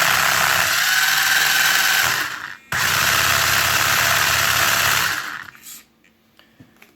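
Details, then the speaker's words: Traxxas 4Tec 2.0 RC car with CV joint axle upgrade fitted per Traxxas instructions: smooth under throttle straight, but at full steering lock a high buzzing whir with fast rattling chatter; owner blames CV joints not engineered for the steering angle. "you'll hear that it's nice and smooth but at full steering you'll hear a very nasty vibration and it's because the CV joints are actually not engineered properly for the amount of steering angle"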